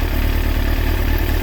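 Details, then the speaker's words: Kawasaki ZX6R J2 four-cylinder after carb rebuild with new main jets and needle clip change, carbs synchronised to about 21 on the Carbtune Pro: smooth even idle, steady burble, no hunting; well balanced. "So here guys, this is what I settled on. You can see that pretty much around about 21."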